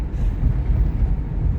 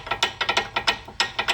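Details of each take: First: 2006 Chevy Equinox driving after front suspension repair: only low road rumble and wind, no clunks or rattles over bumps; much quieter than before, when it sounded like a bag of rocks. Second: 2003 Toyota Sienna front brakes, previous botched job used silicone instead of hardware kit; silicone removed, pressing brake gives quick uneven metallic clicks, about a dozen in two seconds, loose pads rattling in the caliper bracket from missing hardware clips.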